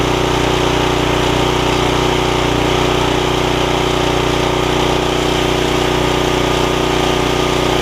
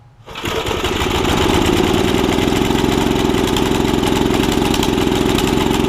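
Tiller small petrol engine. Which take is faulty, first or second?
second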